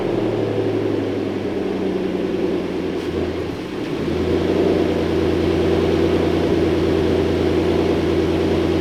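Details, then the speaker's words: Replacement engine fitted after the old engine developed rod knock, first runs with the hood on: steady, low, even idle with no knock or tapping. Normal idle. "I put the hood on running without knocking I'll take the celebration"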